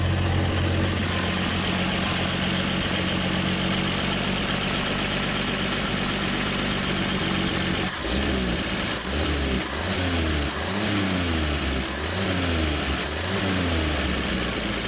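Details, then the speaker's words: 1959 Chevrolet Apache engine, first start after sitting off the road since 1990: revs up and down unevenly in heavy laboured surges, with blow-by, oil smell and water from the exhaust; rings suspected unseated, engine may be toast. "Working hard. Yeah, I got a good idea that this one's going to be toast before it's over."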